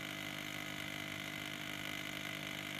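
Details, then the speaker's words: Ford 6.0 Power Stroke F-250/F-350 Super Duty electric vacuum pump refilling the vacuum reservoir: even electric whine with steady hiss, pitch changing as it draws down; normal pump operation. "the pitch of it's changing as it draws down it's taking a while cuz it has to fill this the vacuum Reservoir back up"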